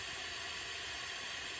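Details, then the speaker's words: Firman 2100i suitcase generator with low compression after running all night over loose dirt; leak-down test at 100 PSI holds only 34 PSI, over 60% leakage versus about 3% expected; steady, even rush of hissing air with no pulsing; excessive leakage. "34 PSI which is 2 PSI better than the one that it was sitting right next to to sucking dirt so 100 PSI out of 100% it is leaking out a lot um over 60% you don't want that"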